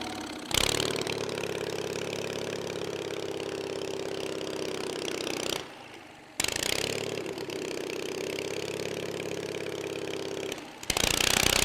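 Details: 23 HP Kohler engine refueled, restarted with sticking choke: catches quickly, runs evenly about five seconds, stops, restarts and settles to steady run; normal start and idle.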